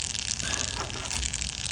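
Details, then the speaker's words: Sling TSi homebuilt aircraft right wing fuel tank, pressurised to about 1 psi with a bicycle pump, ports and vent blocked, soaped: soft, uneven hiss with bubbling crackles from a tiny pinhole leak that needs patching. "You can hear it. Yeah, right here. There's a tiny little hole right there"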